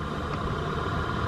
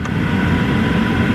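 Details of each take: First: 2010 Dodge Charger HVAC blower motor, lowest fan speed, before replacement: constant whirring hum with faint high whine on top; blower motor itself noisy and worn. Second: Dodge Charger after HVAC blower motor replacement, engine on: steady airflow rush with a smooth fan hum and no rattle or squeal; much quieter than before, normal blower operation.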